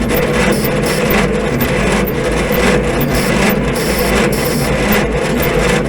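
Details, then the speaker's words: 1950s Roller saved from scrap, cranked with ether: starter drags engine slowly, roughly one laboured uneven turn per second, too slow to start; slow cranking, owner suspects too little power and bad connections, one cable smoking. "yeah I don't know it's really like we're just not getting enough juice to this thing bad connections are definitely plugging us"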